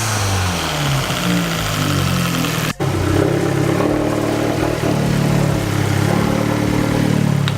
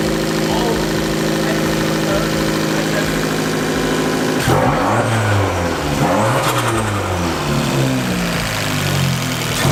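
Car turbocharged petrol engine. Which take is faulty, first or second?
first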